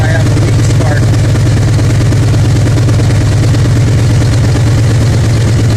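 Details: 2000 Ford F-150 5.4 V8, 115,000 km, regular cab 4x4, check-engine light on but not flashing: a deep, loud idle with an uneven, lumpy beat of about three pulses a second; misfire with cylinder eight dead, spark being tested at its coil.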